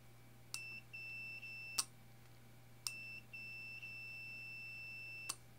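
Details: Bare 5V relay (Arduino driven) tested with multimeter; when coil is energized, steady high continuity beeps starting and stopping with probe clicks show the normally open contact closed: relay contact closed, continuity confirmed.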